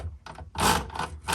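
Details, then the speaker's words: 1960s Penncrest Concord 10 typewriter: rough rasping bursts as the carriage is dragged with the release lever only half pulled in, so the teeth still catch and grind; pulling the lever fully in avoids it. "Sometimes it grinds if the lever's not pulled in all the way because the teeth are still catching."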